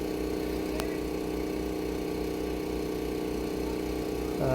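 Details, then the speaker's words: 2014 Toyota Corolla after fix for misfire codes (P0171, P0301-P0304) traced to a broken intake manifold leak, codes cleared: steady, even idle with smooth low pulse, no stumble or miss; idle now normal. "एक बार देख late हूं इसको फिर करता हूं आप देख सकते हैं बिल्कुल बराबर हो गई है"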